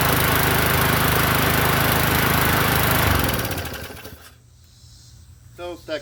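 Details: 21" Murray push mower after fuel tank and air cleaner cleaning, started on second pull after priming: loud, steady, even single-cylinder chatter, then dies away at shutdown. Running normally.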